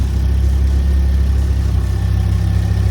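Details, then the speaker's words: 2010 Ford Focus RS, 115,000 miles, first start after sitting for about a year, now warmed up with good oil pressure: steady, even low rumble with no knocks or ticks; normal healthy idle. "got up to temperature everything's looking good up there good oil pressure quick sound check still sounds magnificent right that sounds great"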